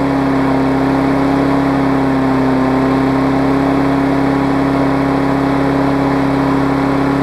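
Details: Craftsman big-wheel mower with Briggs classic engine after salvaging the safety cable, fitting a different stop handle and fixing the carb linkage spring: steady, even drone at constant speed with no misses or surging; runs smoothly.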